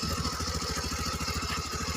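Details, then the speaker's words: Honda CB110 single-cylinder after valve clearance tune-up, reassembled: crisp, even putter of about fourteen beats a second with no valve tapping; engine quiet, timing and roller/tensioner set correctly, normal idle. "Okay Tahimik yung makina Okay tama yung TUP tama yung set ng ng roller Okay saka yung tensioner"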